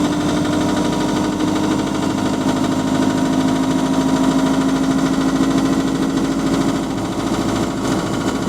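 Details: GAL SE101 bus diesel idling: steady, fairly regular knock about three times a second over the rumble, consistent with rod knock.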